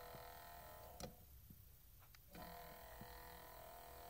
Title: Vinyl player weird noises part 2